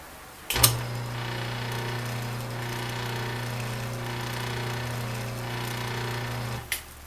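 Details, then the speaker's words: 1936 Maytag Model 30 washing machine motor running with the belt removed: low hum that rises and falls rather than holding even; owner suspects this is because the motor is not bolted down. "yes now there's a little noise it's not an even home it's a rise and fall as you can hear at least I've seen you can on this video that may be because the motor is not bolted down"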